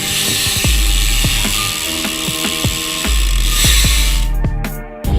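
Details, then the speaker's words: BMX rear freehub after regreasing and tensioning the pawl springs: sharp, loud, crisp ratchet clicks while freewheeling; pawls engaging cleanly, healthy. "і чесно я навіть не очікував що вона буде настільки гучна якась навіть Ну мені неловко буде на вулиці Мабуть її їздити ну слухайте вона так рипить що аж полт тремтить"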